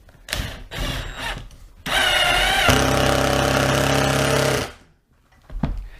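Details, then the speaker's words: Erbauer impact driver after teardown, clean and rebuild, driving a small screw: motor spins up, then sustained rapid hammering rattle under load; impact mechanism working properly. "Yep, it works."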